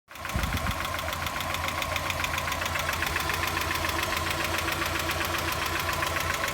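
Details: 1990 Mazda Miata at idle: quick, light, even ticking about three or four a second over a steady idle; owner suspects lifter tick. Ticking at idle.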